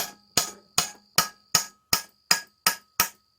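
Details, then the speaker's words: 2002 Honda Rancher 350 (2WD, electric shift) engine torn down, with the connecting rod rocked by hand on a pin: crisp metallic clicks about 2.5 per second from big-end play, the cause of bottom-end knock; the crank needs replacing. "I don't know if you can hear that or not, but that's the big end of the rod moving up and down, and that's what'll give you a knock."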